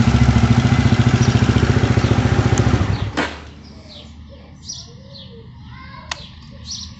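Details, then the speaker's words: Horizon 250 motorcycle after repair of a very loud engine noise, with the cam chain tensioner accessed: single-cylinder idle thumps evenly about 214 beats a minute, no ticking or rattle, then shuts off; now extremely quiet and healthy. "agora eu vou ligar a minha moto para vocês ouvirem né a diferença do barulho do motor talvez pelo celular Vocês não tem uma percepção né da diferença mais uma coisa eu posso afirmar tava um barulho horrível e agora ela está extremamente silenciosa"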